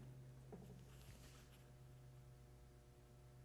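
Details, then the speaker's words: ADA Digitizer 4 digital delay rack unit after felt fitted around the panel edges: steady low mains hum with faint buzz from transformer vibration through the case, still humming with lid on; felt fix failed. "can immediately hear that humming see what happens when I put the lid on it carefully put the lid on it yeah that's the bottom humming"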